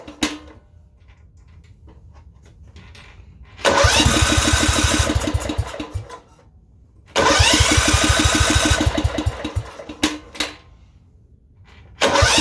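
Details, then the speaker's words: Kohler Command 13 mower engine after governor and throttle linkage adjustment, just refueled after running out of gas; two roughly three-second cranking bursts at about three chugs a second, never catches; cranks but won't start, cause unknown. "this thing just it's not getting yet just put gas in there i don't get it it was out of gas a second ago"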